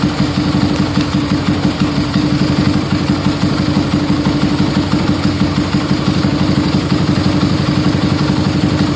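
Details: Yamaha Scorpio single-cylinder after tune-up (valve adjustment, carburetor cleaning, new intake manifold, oil change): even, quick idle thump at a steady rate, no tapping or misses, smoother after valve adjustment, air screw about 1.5 turns; normal idle.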